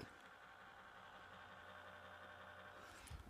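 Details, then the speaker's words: Temporary old laptop, used while the owner's MacBook is at Apple for repair: steady, even whirring hiss with a faint unchanging high-pitched tone, fan running louder than it should, cause unknown. "sounds like some clapton old piece of crap so i'd be glad to get my nice quiet one back"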